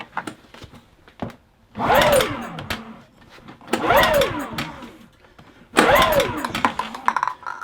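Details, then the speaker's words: Kipor Sinemaster IG2600 digital generator, stored in a garage for years, pull-started on starting spray to check for spark: three pull bursts each catching briefly with a rising sputter before dying; it won't keep running. "And it's not having it today. We'll give it one more go. See if it's going to go."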